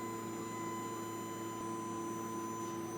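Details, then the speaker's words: Fender 300 PS amplifier, signal generator on input; even low hum with steady high tones from the chassis, not the speakers, suspected transformer, possibly oscillating: amplifier hum and buzz. "you can hear it it sounds rather horrible the speaker down a bit oh that is not the speakers the yikes what is making the sound with the transformed probably"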